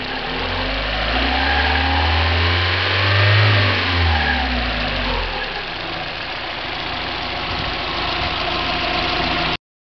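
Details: 1990 Mazda Miata petrol engine idling and revving once, rough uneven rattling knock under the exhaust; persists with 93 octane; owner suspects HLAs, rod knock or spun bearing; cause unconfirmed.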